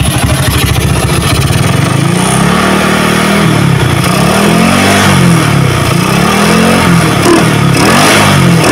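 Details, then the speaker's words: Motorcycle with a PWK carburetor, pilot and main jets set up, starting on the first try: correct idle with no hissing or sputtering, then the single cylinder blips up and settles back smoothly at low rpm with no bog; normal. "langsam karbu yang pas itu seperti ini tidak terdapat suara ngeses dan suara berebet ya untuk posisi langsamnya seperti ini kita coba dulu untuk RPM bawahnya ya"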